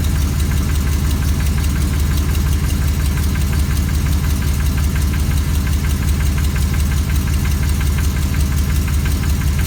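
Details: 2004 Silverado 6.0L LQ4, cold idle: a steady knock about once a second over the low drone. It begins 30–60 seconds after starting and quiets when warm. Owner wonders about rod knock, lifter, piston slap or flex plate; cause unconfirmed.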